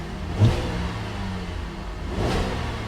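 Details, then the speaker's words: Salvage-auction car, engine cold, revved to only about 2,500 rpm: two quick throttle blips rise and fall cleanly with no knocks or rattles; revs freely and sounds healthy. "it's only 2,500 rpm okay sounds good sounds good sounds healthy"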